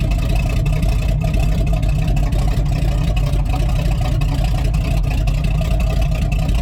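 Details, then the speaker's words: Rotted squarebody Chevy 454 big block running on jumper cables with the fuel pump on: a deep, steady rumble with an even beat and no knocks or misses that the owner says sounds good, though it was then dripping hydraulic fluid. "I don't really want to keep running it she sounds good"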